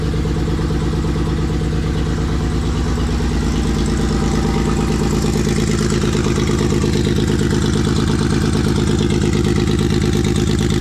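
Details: Newly rebuilt Nissan RB engine on first start: lumpy, loping idle with a regular stumble each cycle, running on five cylinders; pulling injector plugs showed cylinder five not firing.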